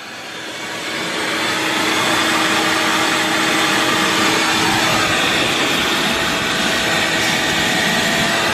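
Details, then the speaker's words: Vacuum cleaner powered from an inverter fed straight off a 13.4-volt battery: the motor spins up in about two seconds to a steady, even whoosh with no surging. Voltage dropped, but it runs fine. "the power coming straight off the inverter into the vacuum boom runs it like a champ it dropped the voltage down but it will run and run and run and run just like that"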